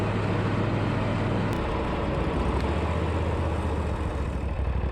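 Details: Lawn mower after new starter and battery, first run in about six months, running a whole lot better: steady, even low engine drone with no misses or knocks; normal running.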